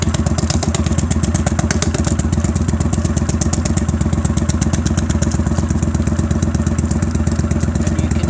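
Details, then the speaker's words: Motorcycle at idle after the tape is pulled off the exhaust seam: steady thumping with a faint, even tick on each exhaust pulse; a small leak remains, much improved, expected to go once the seam is welded all round. "Slight tick, but it's a lot better than it was. It's pretty much gone."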